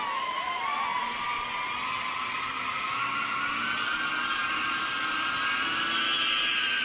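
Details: Beta95X v3 Cinewhoop maiden flight, newly fitted RadioMaster Nano receiver, without Insta360 camera: steady high-pitched motor whir with gently shifting pitch holding a hover, even, no rattles or stutter; normal healthy motors.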